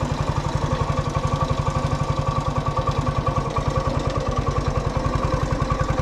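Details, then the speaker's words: Honda ATC 90 single-cylinder engine idling evenly and steadily with regular firing, no knocks or misses, on its first run after sitting 50+ years; carburetor rust-cleaned by sandblasting, valve clearances checked; normal idle. "Well, after 50 years of not running, that is pretty cool. Bring something back to history. Glad you guys can see it run again."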